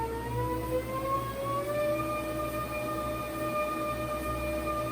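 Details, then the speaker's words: Treadmill after new belt, springs, cushions, idler roller and incline motor; original metal-on-metal noise gone but a steady whine now rises in pitch with belt speed from 2 to 9 mph, source unknown to technician. "it was making, like metal on metal contact, but now there is a new noise since installing the new belt, and the technician was unsure where it was coming from."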